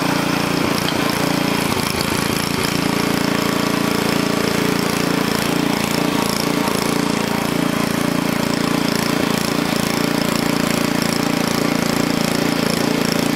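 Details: Onan engine for a small log splitter, after the carburetor governor linkage was adjusted: a steady, even high-speed drone at about 3,400 rpm with a regular beat and no misses, knocks or hunting. Healthy, and the stop switch works.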